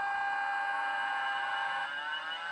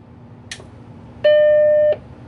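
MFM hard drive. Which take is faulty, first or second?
first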